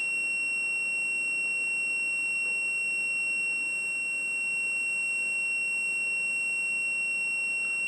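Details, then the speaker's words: Whirlpool/Smeg ELTH 261N bimetal frost stat, about half an hour in the freezer, now warming: the continuity buzzer holds a steady high-pitched tone, so the switch is still closed. It should open near -3°C (0 ±3°C), when the buzzing stops. "when the uh temperature gets to about minus 3 I believe it's Plus or - 3° uh the switch will open which you hear when the buzzing stops"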